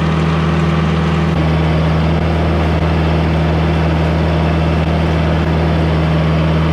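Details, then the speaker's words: Sawmill hydraulic system after replacing a valve whose spool leaked by and blew out a plunger: steady even drone, constant low hum, no surging or knocking; cylinder now runs in and out properly without drifting; normal hydraulic operation. "well it looks like that fixed a problem we have a guy that runs in and out uh all the time now like it's supposed to it does not drift like it was doing"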